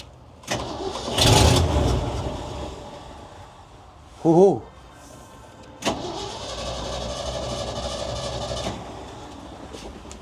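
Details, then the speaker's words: 1967 Ford/Seagrave fire truck bought at auction as running but not running: with starter fluid sprayed into the air cleaner it catches, runs roughly briefly and dies; suspected bad gas or no fuel delivery. "It's not getting uh it's either getting bad gas or it's not getting gas at all. It'll start on the starter fluid, but it won't stay running."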